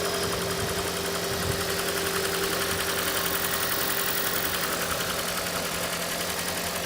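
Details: Engine idling fairly quietly during oil pressure test on a 2012 Toyota Prius 2ZR-XFE: light, regular tapping at about two per second. Pressure reading reaches 60 and then drops slightly. Knock cause not yet found.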